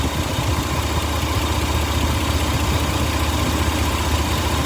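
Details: Toyota engine at a rough idle with an uneven low knocking, about two per second, under the engine drone; suspected bottom-end rod knock, cause unconfirmed.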